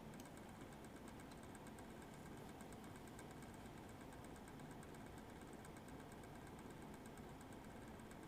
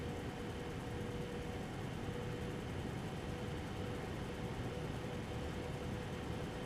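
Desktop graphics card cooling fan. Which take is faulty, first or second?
first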